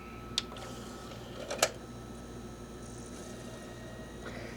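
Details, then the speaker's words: Philips VAD6035/21 Xbox DVD drive after laser adjustment: faint steady spin hum with brief seek clicks; reads disc normally, fixed by the laser adjustment. "and son of a wow looks like a laser adjustment actually did it for this drive"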